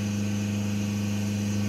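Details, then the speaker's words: Mercedes GLA small diesel, during hydrogen decarbonising for power loss (clogged engine, partly blocked DPF; faulty air mass meter found): steady engine drone with thin high turbo whistle; turbo spooling freely after cleaning. "j'entends le turbo sifflet donc ça veut dire que ça a déjà bien nettoyer de ce côté là"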